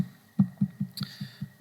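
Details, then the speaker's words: ME1616 PMAC motor powered on during encoder alignment check, torque commanded but no rotation: low throbbing pulses about five per second under a thin steady whistle; encoder offset misalignment before adjustment. "We can see that there's no rotation on the motor yet, so the encoder alignment is out."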